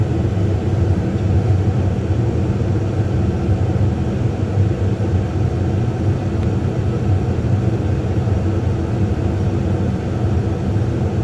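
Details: New Lennox furnace, one to two months old, no-heat call: inducer draft motor wasn't starting because a piece of rubber was stuck inside; after in-warranty inducer replacement, smooth, even hum and air rush with no rubbing, ticking or wobble, normal running.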